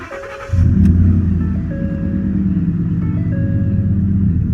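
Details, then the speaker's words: 2009-2014 Ford F-150 after replacing the worn ignition lock cylinder: brief crank, engine catches at once and settles into a steady, even idle with the door chime pinging over it; starts like a charm. "Working like a charm. That's a beautiful thing."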